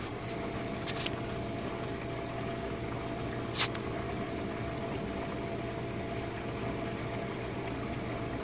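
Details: Jenn-Air dishwasher on Quick Wash, main wash phase, after earlier low recirculation noises blamed on suds and a newly fitted gasket: steady even low pump hum with water swishing, no gurgling or surging; wash pump runs normally.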